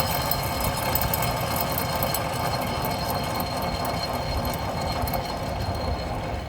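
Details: 2007 Buick Lucerne CXL V6, front-wheel drive, 150K miles; passenger-side rear hub bearing spun by hand during a brake job gives a steady, rough grinding rattle, a worn bearing, while the other side is quiet.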